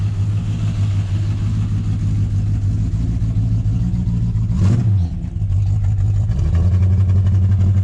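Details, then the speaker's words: Rebuilt 351 Cleveland V8 in the ZH, said to be rebuilt stock about 7 years ago with roughly 6,000 km since, run on stale fuel with no front suspension: deep, even burble, quick rev blip dropping to steady idle; compression 160 even, sounds healthy. "Sounds awesome. Sounds pretty good for it."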